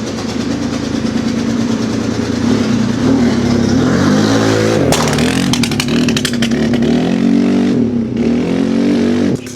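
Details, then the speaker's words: Polaris RZR 170 that sat about 5 years and probably needs a carb cleaning. A sticking throttle cable holds the revs raised and uneven. Popping from the exhaust, with a harsh grinding as the owner tries to put it in gear on a first drive attempt. "So, you can't see me cuz I'm just outside of the frame, but you can certainly hear this bike popping and going. And that grinding noise is me trying to put it in gear. But that throttle cable is a little stuck and it's not really at auto."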